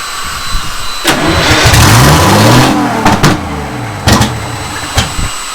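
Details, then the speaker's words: Detroit Diesel 6-71 first start, rebuilt starter, fuel just primed: cranks, catches and revs unevenly with sharp pops and irregular bursts before dying; rough running with popping, timing suspected, fault unconfirmed. "Well, it wants to run. Sounded like it was that. Pop, pop, pop. Yeah, it just has a little issue there."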